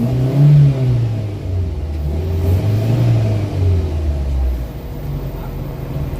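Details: Toyota Vitz after fix for engine vibration in reverse and drive and low power: engine climbs and settles smoothly through revs, low steady note with no knocks or stumbles; vibration gone, runs healthy.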